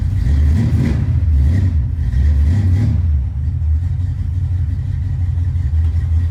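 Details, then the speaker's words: V8 car on first drive: deep rumble under light revving with an uneven, stumbling beat and occasional pops; persistent misfire, owner suspects a spark plug, not confirmed. "drive it still got that miss that whenever it's just kind of M Cable's rubbing on the drive think I can hear it"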